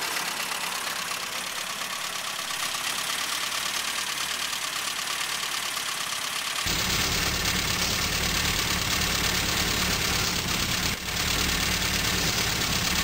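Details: 1974 Morris Mini, 1400cc MiniSport short engine, about 10 miles, first start after seven years with fresh oil but old fuel, some choke: uneven, hissy beat around three pulses a second; rough idle, cause not confirmed.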